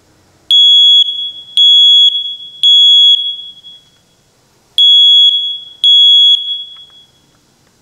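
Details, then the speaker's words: First Alert smoke detector after repair: loud, clean, piercing beeps, three then two, horn sounding as it should once a pulled-out contact that wasn't making good contact was pushed back in; owner thinks it's fixed, though it later worked only momentarily. "Let's try it again. I think that thing's fixed."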